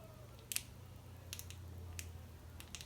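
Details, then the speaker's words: Carburetor from a Stihl 025 chainsaw that ran poorly, disassembled: brief dry crackles as the metering diaphragm is flexed by hand; diaphragm stiff and crispy, needs replacing in a carburetor overhaul. "Um, but I can see that the metering diaphragm, you can hear it. It's very crinkly and crispy."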